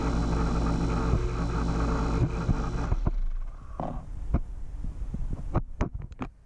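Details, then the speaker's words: Taco circulator pump on a purged heated-driveway snowmelt loop, screwed directly to wall studs: low steady drone for a few seconds, then stops leaving scattered knocks; owner suspects vibration transferred to framing, considering rubber isolation pads. "so i don't know i you know the the the hum here the low low drone i think is because i i screwed it right to the studs so you know i'm sure it's transferring some vibration to the frame"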